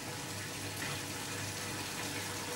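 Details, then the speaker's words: Zanussi/AEG Electrolux washing machine in diagnostic mode drain-and-spin test: steady rushing water over a smooth, even drain pump hum, no grinding or rattling; machine now empty and drum starting to turn toward 650 rpm; drain pump working normally. "The machine is now empty. You can hear the pump pumping. Drum started turning."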